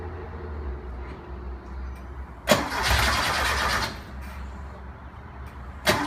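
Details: 1973 Porsche 914 2.0, hard starting after oil change, valve adjustment and new spark plugs; slow uneven labouring cranking with short catches that never fire cleanly; cause not confirmed.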